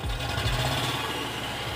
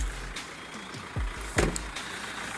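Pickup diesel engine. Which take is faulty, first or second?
first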